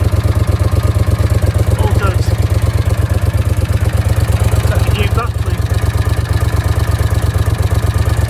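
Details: Honda CX500 twin at idle with a deep, even thump, about a hundred-odd pulses a minute with no knocks or clatter; battery charging measured at 14.2 volts; the engine sounds healthy.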